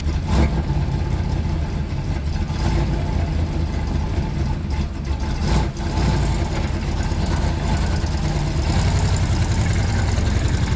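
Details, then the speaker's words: 1965 Plymouth Fury wagon engine idling with injector check; deep uneven idle with lumpy low pulse and occasional stumble, one injector spraying nothing while one looks light, dead fuel injector leaving a cylinder not firing. "Yeah, so those seem to be going fine. This one's doing absolutely nothing."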